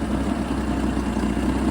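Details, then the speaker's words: Jeep XJ after tightening loose fuel line clamps that leaked: smooth, steady idle with even firing, no stumble, hiss or tick; running healthy, no leaks. "So I tightened those up, and that seems to have solved the problem. So, got the good throttle response. No leaks."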